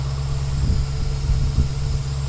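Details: 2012 Chevrolet Caprice PPV 6.0L V8 warming up, with over 80 psi oil pressure. Deep, steady rumble, smooth and even with no knocks or ticks: normal idle.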